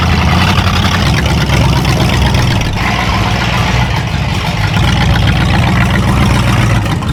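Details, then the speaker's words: 1965 Dodge Coronet V8 project, started after purchase with fresh battery: loud, low, uneven drone with lumpy beat, no steady rhythm; runs rough but well enough to drive into the shop, cause not yet found. "it runs it runs not good but it runs good enough to get it in the shop"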